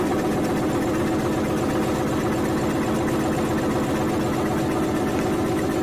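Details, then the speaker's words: Eicher single-cylinder diesel that would not start due to low compression. After pouring a small amount of oil into the intake via the air cleaner elbow, it runs with even, quick thumping at idle, firing cleanly with no misses or knocks. "तो दोस्तों, आपने देखा engine ऐसे start हुआ। Engine क्यों नहीं start हो रहा था, इसका मेन वजह है कि इंजन बैक है, मतलब कि इंजन कंप्रेसर नहीं बना रहा है, इसलिए स्टार्ट नहीं हो रहा था।"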